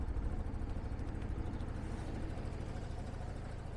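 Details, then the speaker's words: Rutec Cargo 125 scooter, about one month and 300 km old, started after waiting for the fuel pump to stop: fires very quickly and settles into a low, even putter at steady idle, no knocks or misses; normal idle. "Çok çabuk çok hızlı çalışıyor hemen çalışıyor"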